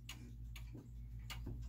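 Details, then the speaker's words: German time/strike clock in an old case moved off level: uneven tiptoe ticking with a short then long gap; out of beat, and the clock stops because it can't keep running that way. "now it's out of beat right it's sort of a tiptoe and actually the clock has stopped because it's out of beat and it can't stay running that way"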